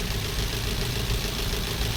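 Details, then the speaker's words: Maruti Swift BS6 with CNG fitted, check-engine and ABS lights on, idle before repair: uneven lumpy idle with stumbling low beat and shake that won't settle; severe misfire. "यह missing miss fire की problem है दोस्तों और इसके अंदर chuckle भी आया हुआ था और वो ये मिसिंग मि फायर की प्रॉब्लम है दोस्तों"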